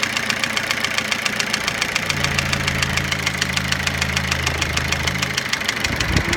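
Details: Toyota Avensis engine after cylinder resleeving and ring and timing belt replacement: steady idle with a sharp, even mechanical tick-knock about seven times a second from inside the engine.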